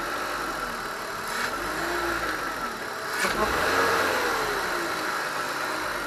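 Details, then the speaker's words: BMW E46 323ci M52TU engine after repairing a DISA valve that would not hold vacuum: smooth steady idle swelling briefly on a light rev and dropping back cleanly; healthy. "so it sounds pretty healthy um before when you rub it up it used to make a little sound and now I think it's"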